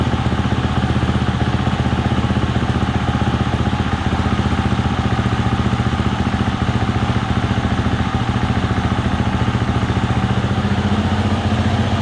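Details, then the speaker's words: 2020 Husqvarna FE 350 with 40 hours, after replacing the in-tank fuel filter and screen for the bog and stall on throttle opening: steady, even single-cylinder idle, no misses or stumbles; normal. "right so seems like it's all working um at least it's idling you know from idle you can open up the throttle"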